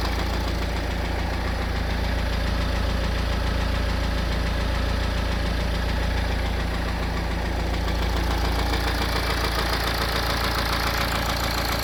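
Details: BMW N47 diesel engine (520d/320d/120d) idling with a steady, deep knock about four per second; bottom end reported gone, worn crankshaft/rod bearings suspected.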